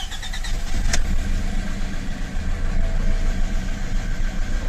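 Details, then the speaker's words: Toyota Camry after immobilizer fix, codes cleared (MAF/intake air temp and all four ignition coil primary/secondary codes), restarted: uneven lumpy idle with irregular stumble, like not firing on all cylinders despite coils pulled on every cylinder; cause unconfirmed. "เสียงมันก็ยังไม่ดีขึ้นเลยนะเออยังๆังๆๆังยังมีตึกๆๆๆๆๆๆๆๆๆๆๆๆๆๆๆๆก็เหมือนเครื่องเดินไม่เต็มสูบอ่ะครับ"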